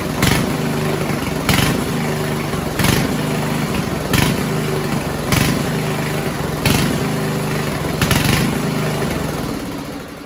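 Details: 1970s Roper 1032 snowblower, probably 10 hp Tecumseh, first run on repaired carb with JB-welded bowl: idle swells and sags about every 1.5 seconds, steady hunting; lean idle mixture.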